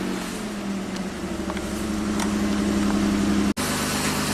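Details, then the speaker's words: 1998 Mitsubishi Montero Sport after timing repair and valve stem seal replacement: steady even idle with smooth low pulse, no knocks or misses, once compression returned as valves seated; normal idle. "Fire it up! There's some smoke. Sweet. After doing all those valves, you know, if they're not completely seated, it just took a little while to get compression back, but I think we're in good shape."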